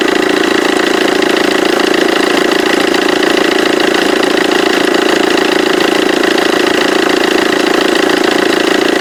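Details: Vauxhall Corsa D 1.3 CDTI at idle, left-hand auxiliary belt side: loud, even rattling buzz about four beats a second, belt and tensioner vibrating badly. Seized alternator overrunning pulley.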